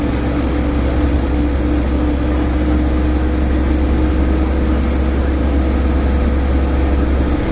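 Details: Stagecoach Cumbria Optare Solo bus 47020 (PO51 WLK), recorded in service, 25 May 2015: steady low drone with a constant loud hum over the diesel as the bus runs, origin unknown.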